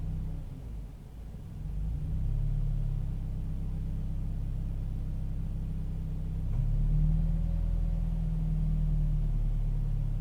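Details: Toyota 86 at idle: low rumble that sags and surges unevenly instead of holding steady; rough idle, cause not evident.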